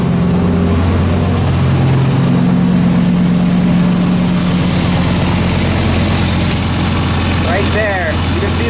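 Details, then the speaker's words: Turbo Dodge Ram SRT-10 truck with a custom fender dump exhaust, idling: a deep, steady drone with a loose, uneven rattle buzzing through the exhaust, heard from inside the cab. "just sitting in the truck you can hear rattling like crazy is driving me nuts"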